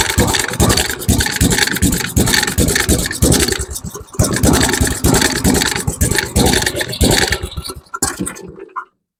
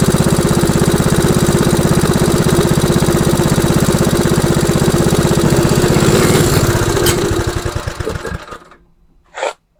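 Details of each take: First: MTD Snowflight two-stage snowblower with Tecumseh 8 hp Snow-King engine, on old fuel: small single chugs unevenly, the beat stumbling and thinning until it dies at about nine seconds. It runs rich because the choke was left closed. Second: MTD Snowflight two-stage snowblower, Tecumseh 8 hp Snow-King engine, old fuel: restarted and left idling to burn off the fuel and warm the oil before an oil change. Steady, even single-cylinder thump about three beats a second, then winds down and stops cleanly; normal idle.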